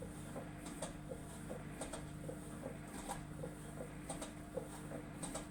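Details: Samsung EcoBubble washing machine: steady motor hum with irregular light ticks and clicks about once a second; unusual washing machine noise, cause unclear.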